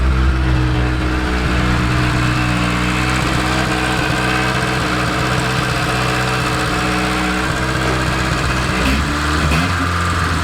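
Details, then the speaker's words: 1980s Rover 213 SE petrol engine in a rusty restoration project, exhaust holed/blown throughout when bought, just started in mild weather. Steady, even note with a firm low exhaust drone. No knocks or misses, sounds fit. "Sounds really nice. Just sounds fit, doesn't it, Michael? Really impressed. It's got quite a nice exhaust note."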